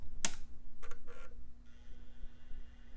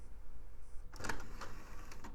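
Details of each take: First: iMac G4 optical drive tested with disc taped down in place of the missing magnetic clamp: a few clicks, then a faint whine rising smoothly as the disc spins up; drive judged good. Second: iMac G4 optical drive trying to read a double-layer DVD-R: a few soft clicks and whirs over about a second, then silence. The drive fails to read the disc and gives up.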